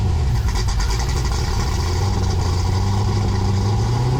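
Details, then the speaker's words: 6.8 LS3 stroker V8 in a '55 Chevy pickup, first start after plugging injectors back in, oil pressure confirmed: deep, even rumble with a steady beat on all cylinders, no misfire or knock; normal running. "oh that's a big weight off my shoulders oil pressure and vroom vroom noises"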